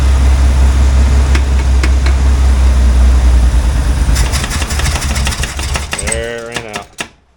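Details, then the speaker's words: Chevrolet Corvair that sat about 20 years, running on stale old gas: deep loping idle for a few seconds, then it sputters and dies. Fuel starvation; suspected failed fuel pump or blocked fuel line, to be blown back and primed. "okay we're out of fuel so either the fuel pump's not pumping or there's a blockage in the fuel system"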